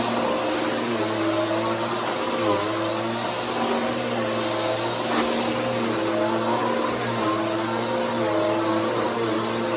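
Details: Bissell Powerforce Helix 3313 upright vacuum on a test run; steady motor whir with a constant tone on top and no pitch change, which the owner says is the belt. Belt noise.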